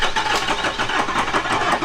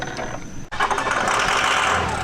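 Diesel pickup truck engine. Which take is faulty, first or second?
first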